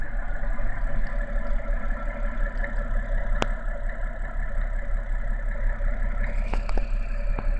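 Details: BMW N52B30 inline-six, cold start: light, uneven tapping over a steady idle, a few knocks a second, that appears on starting and goes away once the engine warms and revs drop to idle; cause unknown, owner asking for opinions.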